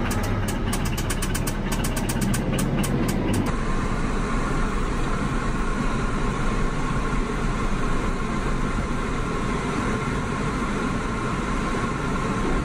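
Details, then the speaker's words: Hyundai car being loaded onto a tow trailer, engine running under load: a dull, rapid knock buried in the low rumble that worsens as it strains; serious bottom-end rod knock. "Okay, here's the problem with this Hyundai. It has serious rod knock."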